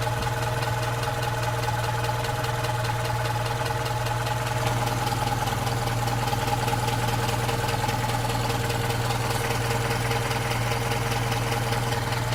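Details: Opel Rekord P1 engine at a steady idle with a regular light clack, roughly 150 a minute, keeping time with the engine; the cause of the clacking is not yet pinned down.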